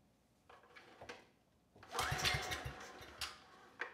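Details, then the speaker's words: Husky HU905000 generator's Subaru EX engine, just after an oil change showing likely water contamination: several weak pulls and coughs before it briefly catches and sputters; took four or five pulls, stalls without choke, carburetor problem suspected. "the carburetor definitely has issues though it took a good four or five pulls to get the engine started"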